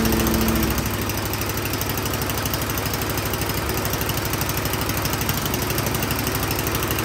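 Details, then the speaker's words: Troy-Bilt Storm 10030 snowblower that would not start after gas sat in it all summer (bad gas, clogged carburetor suspected); spark confirmed, started with starting fluid, now running great: quick, even single-cylinder pulses at steady speed, no stumbling; normal running. "now that I started it with starting fluid it is running great"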